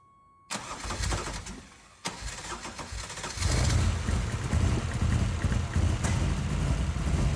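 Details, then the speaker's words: 1986 Ferrari 328 GTS during restoration, very first start of reassembled engine with fuel injection parts still missing; catches quickly then lumpy, stumbling idle sounding out of time; ignition control unit suspected. "It fired right up pretty quickly, but it sounds like it's out of time. Okay, now I'm starting to question ignition control unit."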